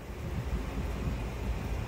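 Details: Geothermal unit's circulator pumps running after the loop was pressurized from below 10 psi to about 28 psi, before pump replacement: low, steady hum and soft rushing with no knocking or grinding; normal circulator pump operation.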